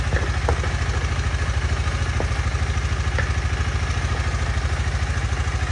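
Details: 2018 KTM Duke 250 left dead one year, first cold start after charging and reinstalling battery: steady quick single-cylinder thump, about two hundred beats a minute with occasional revs, no knocks or misses; running normally.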